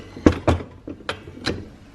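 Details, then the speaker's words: R32 Skyline handbrake assembly during GKtech dual caliper hydro handbrake install: light metallic tings, no engine running; bent, slightly twisted backing plate touching, owner plans to grind a nick off so it stops rubbing. "There's a gap on this side, and that is like twisted a tiny bit, and it's causing this to touch right on that. So I think I'm just gonna like just grind a little nick off there, and then hopefully it doesn't touch. But if it's going to be touching, it's going to sound like this when you're driving."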